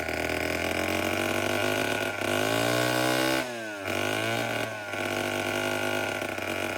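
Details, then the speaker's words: Vintage Homelite 7-19 two-stroke chainsaw (late 1950s/early 60s) after carb cleaning, diaphragm still worn: buzzing, revs sag briefly then recover to a fairly steady idle; runs pretty well for its age. "But other than that, the whole thing runs pretty good to be as old as it is."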